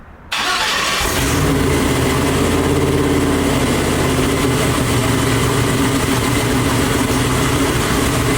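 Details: Twin-turbo Nova V8 on methanol, starting for the first time after two months of problems, with a low fuel pressure warning and no coolant circulating: a short crank, then it catches and settles into a loud, lumpy but steady idle at about four beats a second.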